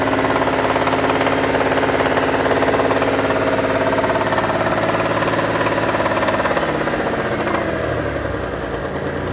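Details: Mitsubishi Diamante 6G73 GDI V6, warmed up, held at raised revs then easing off: regular knock following engine speed under the drone; owner asks whether it needs a major overhaul, source unknown.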